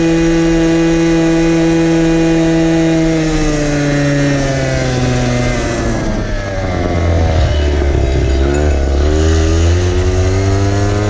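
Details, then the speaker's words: 1970s ARCO 3533 vintage mini bike, small unmuffled two-stroke ridden at about 10,000 rpm while doing only about five mph: a loud, raw, rattly buzzing scream that sags then rises again, shaking hard at full revs. "on top of that you're doing five mile an hour at 10 000 rpm and"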